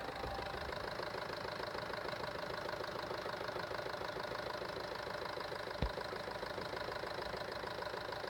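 Steady idle with a light, fairly even tapping about three times a second riding over the engine note; a knock, cause unclear.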